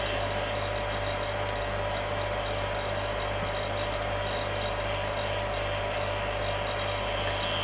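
Steady, even hum with a fixed mid-pitch tone and constant level, no surging or hissing; pump holding full vacuum on a sealed bag.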